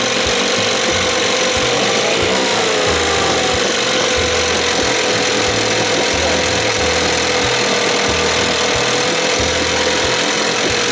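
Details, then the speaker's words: 1968 Evinrude 6 hp two-stroke outboard, during timing work after carburettor and thermostat service: steady even buzz, no misses or surging; after choke cleared it runs good. "It's that, swallows that gas where I choked it. Then the air hits it. Boom! It's running good"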